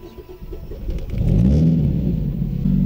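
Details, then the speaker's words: Mazda Luce sedan (1986–1991 generation), owner says the exhaust is unfinished: deep, loud rumble swelling as the engine picks up, far noisier than it should be; loud exhaust. "шумно Да действительно шумно поэтому мы наверное выключим выхлоп надо ещё доделывать"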